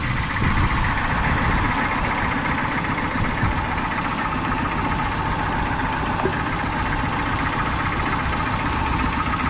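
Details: Peugeot 208 petrol engine at idle: rough, uneven beat from a misfire, one cylinder down.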